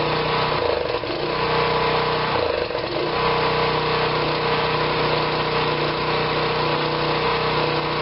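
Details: Generac 2500 psi pressure washer's small single-cylinder engine after repair of a no-run: steady, even idle with a brief dip and recovery; running normally.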